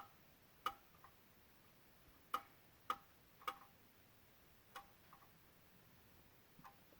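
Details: 2016 Honda Odyssey, engine off, quiet cabin: sharp uneven single clicks every second or so from near the PCM and VSA control module, with Engine, VSA, LDW and FCW warning lights on; relay or module clicking, cause unclear.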